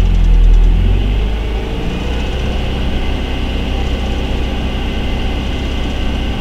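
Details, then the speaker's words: Pontiac Solstice petrol engine at idle: light regular tick about four times a second over steady idle; owner suspects something stuck in a belt or a worn belt, source unconfirmed. "what is that ticking it's so annoying"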